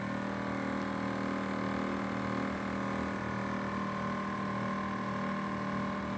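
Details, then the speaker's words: LG inverter air conditioner outdoor condensing unit running with a steady compressor and fan hum whose droning tone rises and falls over time; abnormal, uneven outdoor unit noise of unclear cause. "Ó, esse é o barulho que dá, ó. Você imagina isso à noite, cara, nossa."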